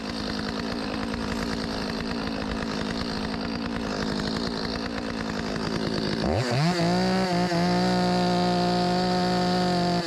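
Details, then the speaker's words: Stihl 025 chainsaw with a 16-inch bar, after carburetor replacement for a hot no-start and flooding: the two-stroke buzzes unevenly at first, then revs to a steady high scream and holds. Runs fine, just needs slight carb tuning. "Need to be adjusted a little bit. I can hear it. It got a little bit more in it than that. ain't gonna win no contest, but pretty good. Rips, baby. Did pretty good, man."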